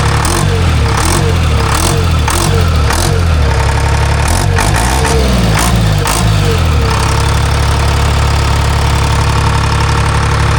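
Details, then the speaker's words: Timberjack skidder diesel after replacing a mismatched N50 injector: ragged start settles into a steady, low-pitched idle with even firing and no misses; normal idle. "Sounds better. Better. Yeah. Let's see how she fires. Better. I ain't mad at that. No. Sounds good."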